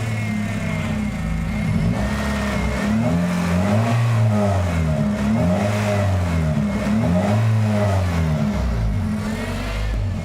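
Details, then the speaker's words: Warm idle, PCV valve disconnected and connected with the port held closed by finger: idle hunts, note rising and falling every second or two, tone changing with the PCV; surging idle from a PCV valve suspected stuck open, causing a vacuum leak. "yep i think the pcb stuck open because you hear it now i changed the tone"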